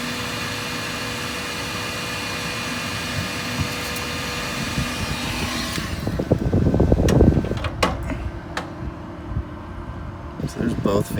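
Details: After swapping the noisy stock RV refrigerator fan for two small replacement fans, heated up again: a soft, steady fan hum with a faint tone and some handling clatter. Much quieter, though the owner doubts they push enough air.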